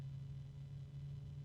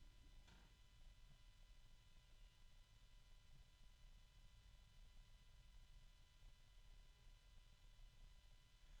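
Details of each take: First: Small case fan with sleeve bearings and a 3-pin connector: quiet airflow with a steady low tonal hum and harmonics, plus a little rubbing; expected to get noisier over time because of the sleeve bearing. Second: New small PC case fan with sleeve bearings and a 3-pin connector, spinning quietly: faint steady low hum with thin harmonic tones and slight rubbing.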